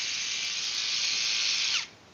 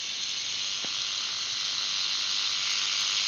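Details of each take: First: Undersized brushless jigsaw run at full speed: a thin, high buzzy whir for under two seconds, then it stops; from the sound it is judged to have little power, likened earlier to rattling a trash can. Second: Brushless jigsaw running at full speed: high, even hissing whir with a fast light rattle, holding steady at top speed; normal full-speed running.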